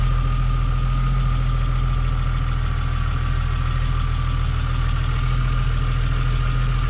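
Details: Toyota Supra Mk3 7MGE turbo conversion after switching from distributor to 2JZ/IS300 coils with stock 7MGTE igniter; starts fine, tach not working; steady smooth low drone, faint constant whine, no miss: normal idle.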